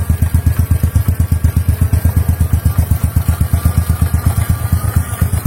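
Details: Motorcycle with idle problem after fixing a leaking intake manifold, idle screw unchanged and valves not adjusted; even, steady idle thumping about eight or nine beats a second, no misses or hunting: normal idle.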